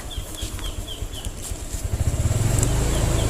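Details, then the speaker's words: 2020 Honda Vario 125, a new scooter, hesitating on initial throttle: the engine drones flat for a moment after the throttle twists, then the pulsing note builds and pulls; stumbling hesitation off the line. "Lihat, mesinnya tersendat-sendat meskipun saya sudah memutar tuas gas."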